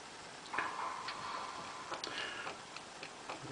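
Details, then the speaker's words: NSM Grand Performer 2 jukebox CD changer after new laser head, cleaning, gear regrease and microswitch check: quiet irregular clicks and soft whirs loading the next disc, no grinding; cycles and plays all tracks normally. "the next CD so place through all the tracks with zero problems at all"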